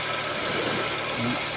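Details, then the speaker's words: 2003 Toyota Camry idling steadily and evenly with no stumble or hiss after replacing a cut, air-leaking brake vacuum pipe that made the engine miss and stall when braking and fail to start when hot; test-driven, car fine. "Pipe हमने दूसरा लगाया गाड़ी ठीक है चला कर भी check किया गाड़ी ठीक है"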